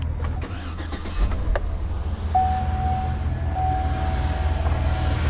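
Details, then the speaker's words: After a new fuel pump was installed on a mechanical returnless fuel system, in cold weather: the engine cranks fast, catches quickly and settles straight into a steady, even rumble with no stumble. A clean, healthy start. "You guys hear how fast this thing cranks up?"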